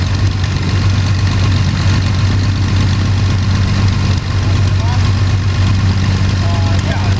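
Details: Sonex homebuilt aircraft, Jabiru 3300 six-cylinder engine with Rotec TBI, about 50 hours, first engine start after throttle set a quarter inch and mixture full rich; EGTs 700-800F; smooth low idle, even firing beat, no misses or ticks, healthy.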